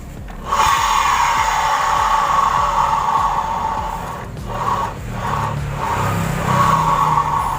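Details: Honda Vario 125 scooter, rear wheel spun by hand: rough, gritty grinding from the CVT rising and falling, caused by failed rear pulley bearings (91005-KVB-900 and 91109-KVB-901).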